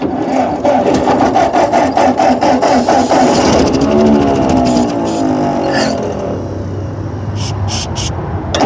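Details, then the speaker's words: Ford 8N tractor, still 6V, abandoned in storage about 8 years. After turning over and an ether spray, it fires and runs loud and lumpy with stumbling beats, suspected on only two or three cylinders. It then reaches 20–25 psi oil pressure. "it's running I only think it's running on like two or three cylinders but oh there she goes oh come on come on keep [Music] going"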